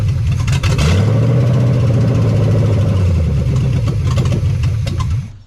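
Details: 1975 Chevy Nova, stock engine, first start after sitting about 30–35 years; no fan or belt, water pump seized. Deep lumpy V8 burble through open pipes, blips then settles high from vacuum leaks, even firing, no knocks; possibly a seized throttle cable.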